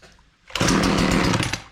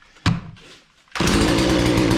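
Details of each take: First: Husqvarna 240 chainsaw with chain brake engaged (as from kickback): fires and roars about a second then dies as throttle loads the clutch against the locked chain. Chain brake engaged. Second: Husqvarna 240 chainsaw, hard to start and not staying running; brake probably had been on: fires, revs smoothly about two seconds, drops back with no sputter; may just need warming up. Normal running.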